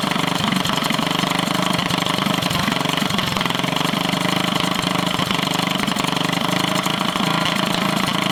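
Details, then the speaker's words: Drift go-kart small single with stage 1 kit, first start after sitting over a year: rapid busy idle wavers and hunts; owner suspects it just needs running; unstable idle. "So it's struggling to find idle, I think, just because it needs to be ran more, and it hasn't been ran since last summer."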